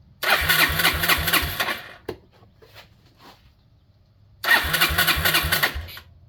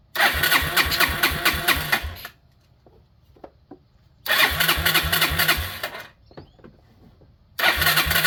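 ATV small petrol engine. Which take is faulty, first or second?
second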